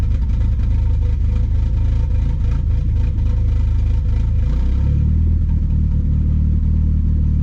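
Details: Aftermarket 3-inch aluminum MAF housing and a 276 cam, codes cleared and battery unplugged so fuel trims relearn: lumpy, uneven idle that hesitates when blipped and settles into a choppy drone; it doesn't sound happy. Rough running from turbulent MAF airflow.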